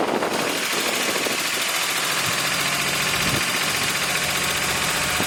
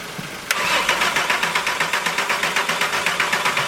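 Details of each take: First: VW Golf Mk4 engine after rebuild, jump-started, intake manifold and valve cover previously removed, oil filter problem noted: engine catches and settles into a steady, fast, even idle with crisp ticking patter, no knocks or misses. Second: Mk4 Golf after engine rebuild: starter cranks evenly at about four compressions a second for several seconds with no firing at all, because the ignition was not plugged back in; no start.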